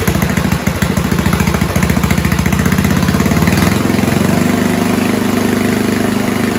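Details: 1970s Roper 1032 snowblower, probably 10 hp Tecumseh single-cylinder, with fixed-jet carb bowl from another 10 hp: idle thump surges and sags, beat shifting; still slightly lean, cured by richening idle circuit.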